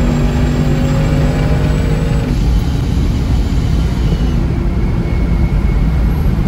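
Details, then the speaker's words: Supercharged Hemi V8 Battlewagon with a newly fitted Kenne Bell Boost-a-Pump, on its first wide-open-throttle pull, with no timing. The V8 roar sounds flat and soft, not crisp: a lean mixture with retarded ignition timing; it needs more fuel. "but this has a lot of fuel and no timing felt really soft like you could hear it in the timing it felt really soft"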